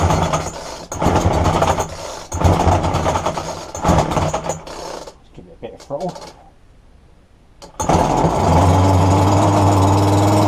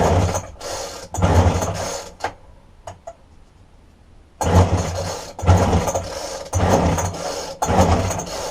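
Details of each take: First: Roadside-dumped McCulloch strimmer after fuel lines were replaced: several sharp pull-start bursts, then it catches and holds a steady, even high buzz with no misfire or surging; running well. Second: Roadside-dumped McCulloch strimmer with a broken tank-to-carburetor fuel line, fuel poured into the spark plug hole: rasping pull-cord strokes in about one-second bursts with no firing catches. Cranks but won't start.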